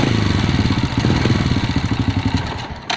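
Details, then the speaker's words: Honda Supra moped engine that wouldn't start now chugs unevenly after a part was replaced, losing strength and dying within about three seconds; valve clearance adjustment planned next, cause not confirmed. "Oh ya udah mau Idup tapi masih berobat Ya"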